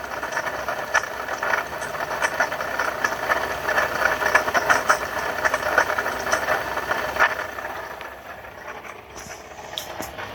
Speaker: Alright, that's what a bad water pump sounds like on a 2012 Ford F-150.